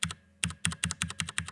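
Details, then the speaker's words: Stock factory-lubed Cherry MX Brown switches on a Drop ALT keyboard: quick sharp plastic clacks about six a second with spring ring and loose chatter, switches not a snug fit in the board; switch rattle. "and you can hear the switch sort of rattling because it's not it's not a really snug fit with the board"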